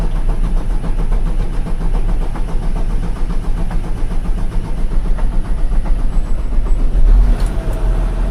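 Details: 2007 Mitsubishi Fuso Fighter FM260 with 6M60 7.5L diesel, after replacing knocking fuel injectors and refilling the coolant, first start: catches quickly and settles into a steady, even idle with light regular clatter, no knock standing out.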